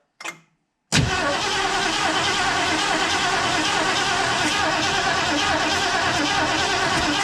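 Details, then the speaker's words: 1968 Ford Mustang 289 V8 after sitting 30 years, cold weather; starter spins engine briskly, slightly unevenly, for six seconds with no firing, crank no-start from no spark; points and cap cleaned; plugs possibly wet. "all right so we weren't getting a spark we ended up taking the cap off and cleaning the the points with a little bit of sandpaper emery cloth"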